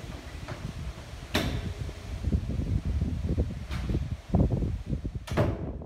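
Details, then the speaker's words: Old overhead door closer on a garbage-room door in a cement high-rise condo, before adjustment: three sharp, heavy bangs as the door shuts far too fast. The closer had probably drifted out of adjustment over time, and a small adjustment quieted it. "that may or may not sound really obnoxious on the video but especially late at night in a cement building it's really loud"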